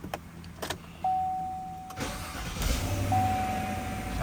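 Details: 2017 GMC Sierra/Silverado 5.3L with 153,000 miles, just after starter replacement: brief starter whirr, engine catches cleanly and settles into a steady low idle, no grinding; new starter engages properly.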